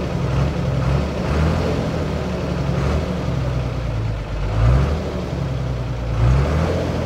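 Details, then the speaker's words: Trailer truck diesel after a new engine rebuild: steady low chug with gentle swells, no misses or chuffing; the problem is gone and it runs normally. "โอเคครับหายแล้วครับผมเป็นปกติครับ"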